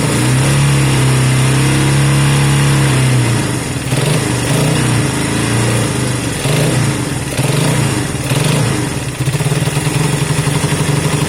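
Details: Honda CB200 twin first start after many months stored, after air filter work and fuel run through: steady even idle with a few clean throttle blips that rise and settle smoothly, no knocks; normal idle and revving.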